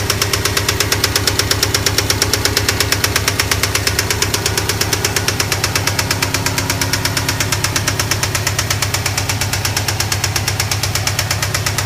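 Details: 2008 Subaru STI idling: sharp steady metallic rod knock from a spun bearing; engine rebuild needed.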